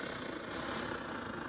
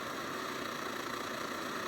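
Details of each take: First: Circa-2014 SVEA 123R stove, primed with alcohol, pulsing flame and yellow flame instead of all blue: burner roar pulses and sputters unevenly instead of steady hiss; sputtering burner. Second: Late-model SVEA 123R stove (circa 2014), after fixes for candling and pulsing flame: steady, even hiss-roar with no surging or sputtering, burning much better though still slightly yellow; normal burner roar.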